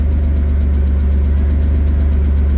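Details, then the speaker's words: BMW E36 (non-Vanos engine) started on a cold morning after misfire and power loss: rough, lumpy idle with faint uneven ticking knock over the idle drone; owner thinks cold oil may be a factor, cause unconfirmed. "the engine doesn't sound too healthy right now let's be honest [Music] it's kind of knocking oh"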